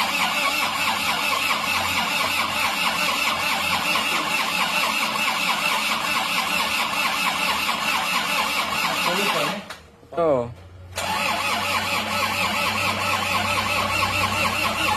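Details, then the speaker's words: Isuzu Panther pickup diesel: slow laboured cranking about one turn per second that nearly catches but won't fire; battery too weak, so a battery is borrowed from another car. "Yo ayo has kuat akinya tidak kuat kita pinjamkan dulu pinjamkan dulu dari aki plat S"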